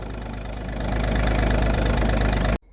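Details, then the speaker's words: Audi A2 TDI diesel after a Bosch starter motor refurb fixed a screech when cranking: typical light diesel clatter at steady idle, no screech or grind from the starter; running normally, fixed. "hopefully we won't hear a screeching noise no squeaking noise we're fixed happy days"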